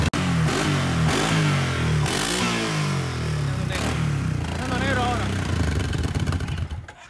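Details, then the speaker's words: 2010 Kawasaki Brute Force 750 twin after the previously non-firing cylinder was made to work: deep, even beat through several throttle blips, revs rising and falling smoothly, both cylinders firing cleanly; now runs clean with more torque. "it sounds way clean dude there's such a big difference i just drove it there's such a big difference this thing flies now"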